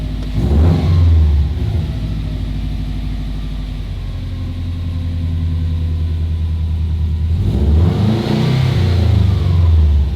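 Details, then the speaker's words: 20-year-old JDM EJ205 Subaru WRX wagon at operating temperature: throttle blipped and the idle hangs high instead of dropping back, a steady elevated drone; throttle and cruise cables adjusted too tight. "all right so she is up to operating temp I'm gonna go ahead and flip the throttle see what happens yeah it's staying High"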